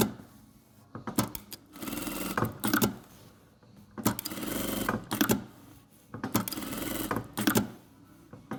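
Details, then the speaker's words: Sewing machine sewing at maximum stitch length after the bar-tack lever mechanism and feed dog were repaired: short even bursts of steady stitching, clean rhythmic whir, no vibration or knocking; normal running. "ничего не вибрирует ничего не стучит машинка шьёт хорошо"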